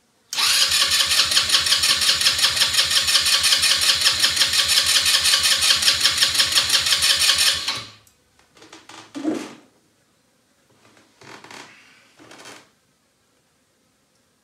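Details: Elstar 150cc single-gear 2WD quad bike, long stored, spark plug cleaned: even starter churning near three beats a second for seven seconds with no firing. Cranks but won't start; owner unsure of spark or suspects a bad plug. The ignition was later shown to give plenty of spark.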